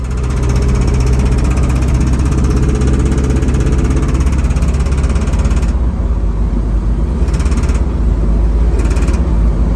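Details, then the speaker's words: 1971 Chevy K20 flatbed with a small-block 400 V8, driving uphill: heavy, loose clatter about three knocks a second over rough, missing running; owner suspects a severe rod knock. "all of a sudden she started clattering and missing and making all sorts of noise and sounds like a pretty severe rod kn"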